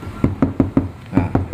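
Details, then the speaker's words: Mitsubishi Xpander rear right door, knuckle-knocked on panel: seven quick knocks come back as dull, short thuds with no ring or rattle. "ini belum kita kasih peredam lalu seandainya udah kita kasih peredam Seperti apa ini dua lapis jalur ya"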